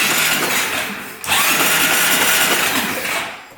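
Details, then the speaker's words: 2012 Honda Rancher 420 4x4 ATV, cylinder lubed with Marvel Mystery Oil, cranking: steady high buzzing whir, starter now spins freely and instantly without smoking; owner suspects corrosion on the starter brushes was the earlier problem. "all right that's working a lot better now I think that starter just had some corrosion I'm guessing on the brushes preventing it from working yeah so now it instantly does it and no smoking"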